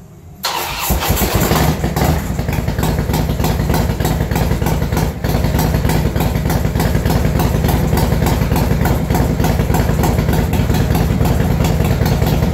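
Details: 2006 Harley-Davidson Super Glide Custom, 124 cubic inch, first start after top-end rebuild with ported heads and new tune: catches right away and settles into an even V-twin potato idle with no knock or clatter.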